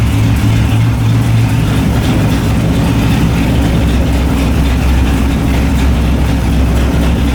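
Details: LS1 V8 in a BMW E30, just fitted with a new MSD 6014 box replacing the 6010, first start: heavy lumpy rough idle; cause not found.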